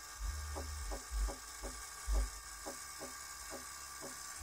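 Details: 2008 Toyota Prius in ready mode, quiet cabin, after pumping the brake pedal: short pump hums and soft clicks about once a second, with a rear tapping sometimes after the pump stops. Cause uncertain: brake accumulator pump cycling.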